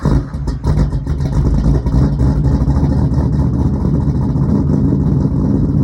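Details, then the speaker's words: 1976 Chevrolet Camaro small-block V8 (SBC) with Comp Cams Thumper cam, TH350 and new three-inch exhaust, idling: very throaty, super deep tone with uneven lumpy rumble, no knocks or ticks; normal lopey idle. "this thing is very very throaty super super deep tone"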